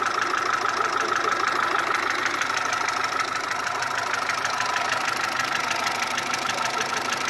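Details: Mitsubishi 1.3 engine after an engine overhaul: steady idle with a sharp, even tick about twice a second, heard between cylinder head and block.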